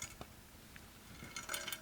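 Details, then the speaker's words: Titanium bicycle frame with a crack and stuck bottom bracket, shaken bare: light metallic clinks and rattles in bursts from a loose object inside the top tube. "And there's something else going on. So it's got a rattle in the top"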